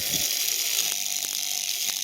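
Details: Tiny hobby motor kit rated for 1.5 V driven at 24–32 V drawing nearly 2 A: shrill racing whir with dry crackling rattle; brushes arcing, copper burning out, motor getting hot.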